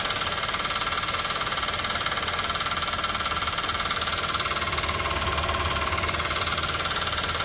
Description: Diagnosed by mechanic by running the engine without serpentine/fan belt, the noise still persist. As a result it is definitely a noise result from engine itself...